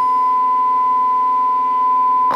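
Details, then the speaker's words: Audio amplifier load test with resistors of about 4 ohms and speaker monitor: steady pure tone near 1 kHz without rasp or buzz; clean signal. "está limpia la señal."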